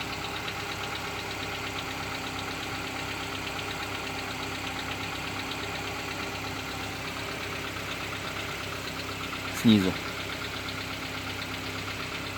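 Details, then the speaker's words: 2014 Kia Cerato at cold idle during warm-up, in cold weather, heard better from the wheel: a faint fast ticking over the engine hum that goes away after 3-5 minutes; no scoring, no oil use; owner suspects piston slap. "Сейчас по мере того, как упадут обороты, будет проявляться цоканье поршней, наверное."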